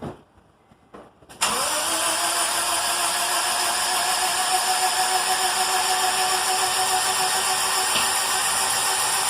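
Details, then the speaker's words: Honda D17 EM2 engine (315k miles, previously burning oil) after in-car rebuild with new rings and ARP rod bolts, ahead of a turbo; cranked with plugs out and injectors unplugged to prime oil. Steady starter whine, fast even spinning, no firing. "I'm going to prime the motor real quick. The fuel injectors are not plugged in. Spark plugs are not in."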